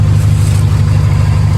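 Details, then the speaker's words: Idle after a Flashark header install replacing the cracked stock manifold, with the gutted stock cat back in place: an even, very loud, boomy rumble that is obnoxious when driving. A small exhaust leak still remains. "This is what it sounds like just idling, but driving it is incredibly loud. Very obnoxious, but that's probably because I gutted the cat."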